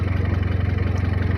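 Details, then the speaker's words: Hyundai Creta petrol engine after repairing the loose, unlocked couplers on cylinders 1 and 2 that caused the misfire and check-engine light: runs low and even with a steady pulse and no stumbles; the earlier noise is gone. "यहां से जो sound आ रहा था वो भी खत्म हो गया। तो गाड़ी को कर रहे हैं टेस्ट ड्राइव।"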